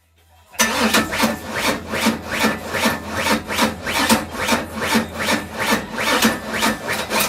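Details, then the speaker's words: Nitrous Mustang on its first start: slow, uneven, labouring cranking that never fires. Owner suspects a weak battery, or ignition timing set too far advanced. "Battery dead or what? Yeah, I might need to charge. Yeah, but it's not. It sounds like the timing's too far Yeah, advanced to I me. I think the battery's weak."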